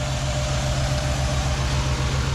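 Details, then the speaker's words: 2007 Jeep Grand Cherokee 3.7L with code P0202, injector circuit open on cylinder 2: idle carries a steady uneven low thump stumbling at a regular beat, a misfire from the injector not firing. "oh sure now it's misfiring hahaha see I have nothing on a scope I have nothing on there fuel injector"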